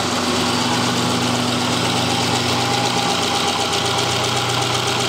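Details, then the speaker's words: 2010 Subaru Impreza flat-four, 150k miles, rebuilt with new head gaskets, cylinder one misfire code; screwdriver held on the injector picks up a fine, even ticking at steady idle: the injector clicks normally and is working fine. "right on the injector now in my case the injector is working perfectly fine we do not have an issue regarding that"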